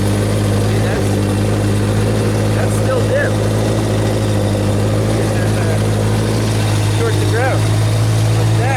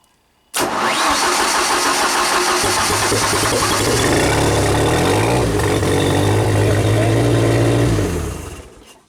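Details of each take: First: Genie boom lift engine after unplugging the water temperature safety circuit, which caused a partial ground: steady, even drone that stays running, slightly rich. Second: Old Genie boom lift engine, C3 relay control wire with diode reinstalled, key-on control light dim: engine catches, runs evenly about seven seconds, then dies as a partial ground drops the relay feed to about 10 volts. Stall fixed once that part was unhooked.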